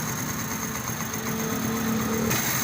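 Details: 70cc Honda motorcycle after timing chain replacement: small single idles with a steady, even buzz and no chain slap or rattle from the top end; healthy normal idle.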